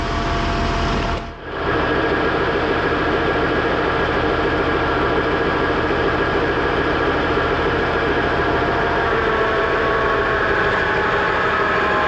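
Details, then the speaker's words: Tractor 1550 after hydraulic pump replacement gives a steady diesel drone with a constant hydraulic hiss under load. A used relief valve, shimmed up from about 1500, now cracks near 1950 psi against a 2000 psi target, roughly correct. "oh a I think she's set about, 1950 I think they call it for 2,000 but I bet the world a lot better than what it was oh"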